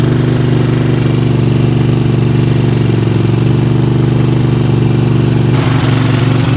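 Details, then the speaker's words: Craftsman GT riding tractor with 20 HP Kohler engine that stalls under load, idling after starting: steady low thump about four beats a second with an uneven, lumpy pulse; one cylinder sounds like it's missing, spark, compression or loose valves suspected. "It sure sounds like we got a miss in one of the cylinders here."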